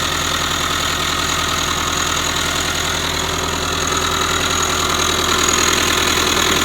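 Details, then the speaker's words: 2005 Subaru Forester boxer, about 100,000 miles, after an incorrect prior timing belt change: steady idle with constant dry whirring rasp loudest at the timing belt cover; tensioner or idler pulley bearing suspected, before repair. "It's inside the timing belt cover. So, what they tell you, the timing belt tensioner or an idler pulley or something inside of there is making all this noise."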